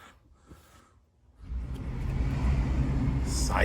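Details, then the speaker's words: 2009 Honda CR-V that had front-brake grinding when turning, caused by rust on the rotors: after the rust was knocked off and the backing plate bent back for more clearance, a test drive gives only road and tyre noise, quiet with no grinding. "yeah all gone you don't need new brakes you got rust in your rotors"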